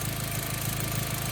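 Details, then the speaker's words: B5 Passat after spliced-in replacement ignition coil pigtails: steady, even idle with a regular low pulse, no skips or sputter; all cylinders firing cleanly, engine revived after ignition wiring repair. "It's sounding good. And we're looking good."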